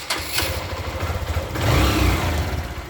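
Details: Motorcycle pulling away after repair: low thrum swells cleanly under load with no popping or crackle; earlier crackle, lost compression and weak take-off came from loose exhaust studs, now tightened.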